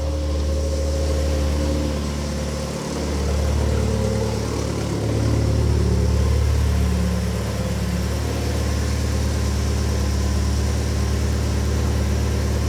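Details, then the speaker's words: BMW 116i (E87, N45 1.6L race car) just after cold start, battery isolator on: steady, even idle with smooth low hum, no knocks or misses; normal running while baselining the oxygen sensor. "okay I'm sure you can hear that's running"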